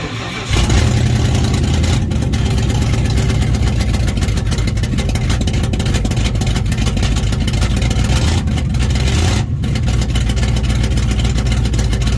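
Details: Dodge big-block V8 in a Sweptline pickup, first start after a cam swap to a new Purple Shaft 44-284 cam, running with open exhaust: a loud, deep, steady rumble with an even beat and no knocks or misses; runs healthy.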